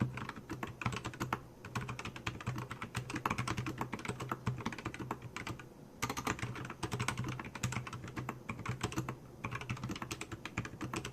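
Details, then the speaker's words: Keychron K4 with LK optical switches, mostly lubed with one section in grease, one in Super Lube oil and the middle in an oil-grease mix, typing test: soft, even clacks with no scratch, rattle or spring ping. Clean and healthy. "So I lubed the entire most of my keyboard. This section is all grease. This section is all oil, and this side, this middle, is a little mixture."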